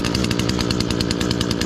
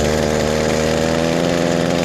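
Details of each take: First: Echo SRM-225 two-stroke weed trimmer run after removing a clogged spark arrester screen (temporary test): crisp rapid buzz at steady high revs, clean even firing, no bogging; normal running, sounds better already. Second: Echo SRM-225 two-stroke weed trimmer, cold start on choke, before repair: fires and runs then note sags and falters instead of climbing, heavy exhaust smoke; clogged spark arrester.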